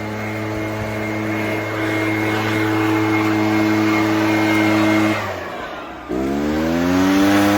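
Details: Echo PB-403T two-stroke backpack leaf blower, sat for years and previously ran only on half choke without full revs, now holds a steady clean drone, dips off throttle and climbs back smoothly; runs and revs properly.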